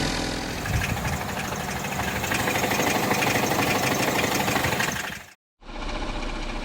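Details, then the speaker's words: Cracked flexplate on a 2016 Ford Edge 2.0L EcoBoost with 6F35 transmission, higher mileage, first suspected rod knock. Warmed up at idle in 30-degree weather, a low loose rattle under the hood, loudest near the left front tire, with high-pressure fuel pump ticking. "So now that it's warmed up a little bit, you can hear the noise a little bit more. Under the hood, you just hear a low rattle."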